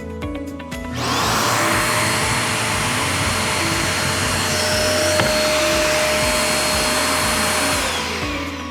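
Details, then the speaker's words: Riccar R27 Clean Air upright vacuum after pressing the thermal reset button: motor spins up quickly to a steady, even high roar without surging or rattling; normal running. "Doesn't take much to reset it, so we're gonna go ahead and hit reset and you'll hear the vacuum turn on."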